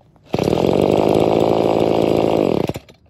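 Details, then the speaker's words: Trash-picked chainsaw after full service and overhaul, carb metering diaphragm found as the fault; crisp, steady high-revving buzz holding even for two seconds, then cutting cleanly: runs normally. "but uh let's go start it up now that we've done the full service and overhaul and we'll see how we go [Music] [Music] [Music] there we go job done"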